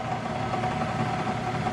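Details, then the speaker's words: Vintage Sioux valve grinder after new motor fitted and pump cleaned: steady even motor hum, constant mid-pitched tone, no knocks or rattles, running smoothly like a sewing machine. "hey we did it dad yes that's so much better it sounds like a sewing machine"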